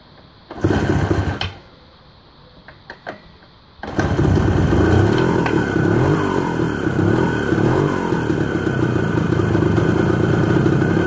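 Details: ČZ 125/453 two-stroke on its first start after an engine overhaul: after a couple of tries it catches and holds a steady, crisp buzzing idle with no knocks or rattles; healthy engine.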